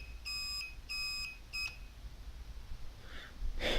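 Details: Bobber motorcycle, replacement turn-signal relay: three short high-pitched beeps about two-thirds of a second apart, then quiet, beeping in time with the flashes.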